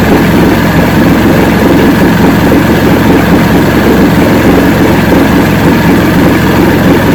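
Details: 1970 85hp Evinrude two-stroke outboard with hydroelectric shift, 50 years old, new water pump impeller, idling in neutral in a water tank: loud steady buzzing, even firing, no misses or surging; carburetors judged good at idle, full throttle on boat still untested.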